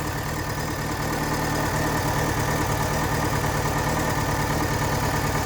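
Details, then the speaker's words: 2005 VW Gol flex, running on gasoline, idling: loud uneven idle with dull lumpy beat around three pulses a second, engine shaking heavily; also oil light flashes once warm, cause unknown. "Tá bem xoxo esse ronco dele. Motor tremendinho bastante."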